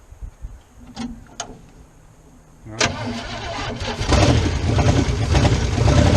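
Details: 1977 Chevrolet K20 4x4 V8, first start in 16 years, gravity-fed through a cut fuel line: a few slow cranks, then it catches and climbs to a rough, uneven idle.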